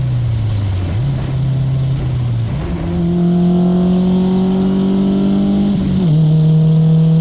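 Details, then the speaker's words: 1995 Honda Civic EJ coupe after fix: the cheap eBay muffler, which rasped from about 4,000 rpm, was packed with fiberglass insulation. On a pull the clean, deep tone climbs and drops at each shift, with no rasp at high revs. "me driving it, I can hear no rasp and just nice deep tone on the exhaust. So it's pretty good. It sounds pretty good for 10 bucks."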